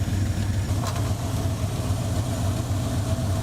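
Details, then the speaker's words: 1984 Ford Mustang GT350 20th Anniversary V8 idling steadily with a deep, low, even burble, no misses or surging; a suspected lifter tick on one bank turned out to be exhaust. Lifters recently replaced; intake gaskets and fuel pump leaking. Normal idle. "oh never mind it's exhaust yeah cheers"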